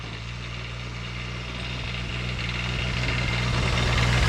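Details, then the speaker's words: Custom diesel-swapped Power Wheels climbing a steeper hill at full throttle throughout; diesel drums at a steady low thump, about four beats a second, straining without gaining revs. It lacks low-end power; owner suspects it needs a bigger rear gear, softer CVT springs, and that over-leveraged suspension compresses. "Okay. uphill. It struggles. I was full throttle the whole time. It's really struggled to get it up."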